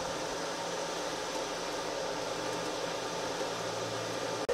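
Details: Micro-hydro turbine at about 116 psi with new hoses, restarted after a not-fully-open valve kept it from spinning up: an even rushing hiss of jets on the runner. Spinning smoothly at full speed.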